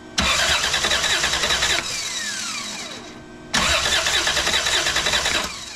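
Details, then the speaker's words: 1990 Toyota 4Runner with a no-crank issue (the key only clicks), starter fed by a remote jumper from the battery to the starter signal wire: two bursts of strong, even cranking, with the starter engaging and disengaging cleanly. Normal cranking. "and you can hear the starter engage and you can hear it disengage so it's not hanging up on the flywheel or the flex plate so got a good strong crank to it"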